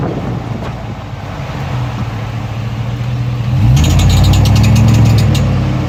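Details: 2003 Tahoe; low engine rumble rises with throttle, joined by quick sharp chirps about four times a second on acceleration.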